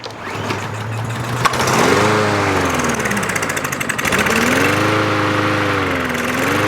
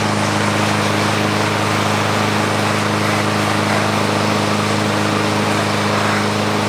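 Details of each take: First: About one-year-old 2023 Craftsman M110 140cc mower that died while cutting and won't stay running. Seafoam is in the fuel and two-stroke mix is squirted into the carb before the pull. It catches on the primer shot, then revs up and down unevenly: fuel starvation, suspected clogged carburetor jet. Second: Free, about one-year-old 2023 Craftsman M110 140cc 21-inch mower running while being pressure-washed. Steady, even engine drone at constant speed with no misses, surging or hunting; runs healthy.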